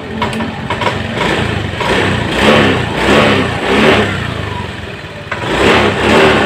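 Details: Honda Beat ECO fuel-injected scooter with stalling, no power and delayed throttle, after TPS repair brought voltage to normal 0.48 V: idles, picks up cleanly on several quick throttle blips and drops back without stumbling; throttle response normal.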